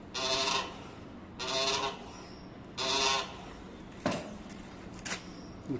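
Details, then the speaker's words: Yamaha/Honda motorcycle Pro-Link rear suspension: squeak repeating about every 1.5 seconds as the rear is worked; linkage bushings running dry after water entered the shaft, replaced with new bushings. "Essa aqui tá mais escura porque entrou água no eixo. Aí ela fica trabalhando no seco, fica fazendo barulho."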